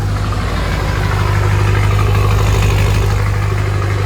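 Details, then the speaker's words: Ford 6.0 Powerstroke diesel with newly fitted S369SXE non-VGT turbo, stock fuel, small leak: deep, even idle rumble with steady loping beat, no knocks, rattles or whistles; healthy idle. "this sounds so good"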